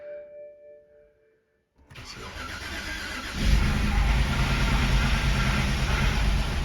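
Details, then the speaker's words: 2011 BMW 328i xDrive with a replacement N51 engine from a 2013 328i xDrive, first start after the swap, no front tires, spray on the exhaust manifold: starter whir, then a lumpy, surging idle; cause of the rough running not yet known. "uh sounds like it's getting worse like it's trying to die rpm is okay"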